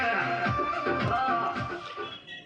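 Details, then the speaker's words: Power amplifier after humming repair: music plays clean with no mains hum or buzz even as it fades quiet; the hum problem is gone and the output sounds healthy. "कोई हैम नहीं आ रहा है। आवाज एकदम सही है।"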